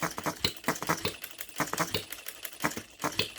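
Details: OKMO Retrol B02 miniature petrol hit-and-miss engine on its first run, on shellite with distilled water in the hopper: light crisp pops with ticking valve clicks at uneven hit-and-miss spacing. Normal running.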